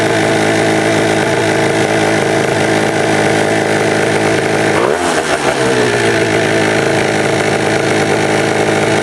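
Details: Honda Dio high-compression two-stroke race engine: crisp buzz, sharp high rev easing back, running clean. Revs were too high and were brought down; cooling fan running. Afterward the cylinder head read too hot, suggesting air bubbles in the cooling system.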